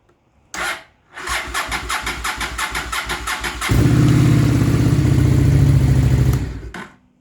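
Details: Honda Shadow VLX 600 motorcycle, started on choke: starter drags slowly at about four turns a second for over two seconds before it catches; the battery sags under cranking load.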